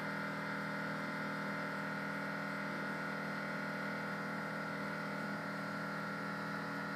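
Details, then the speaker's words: Newly replaced air-cooled air ride suspension compressor on a Ford, running to raise the rear; even continuous motor buzz at constant pitch with no knocking or straining, the normal sound; it may time out to cool. "the air suspension system will automatically adjust the rear and may stop and time out to let the motor cool cuz it's only air cooled but this is how it should sound and you'll see the rear suspension raising ever so"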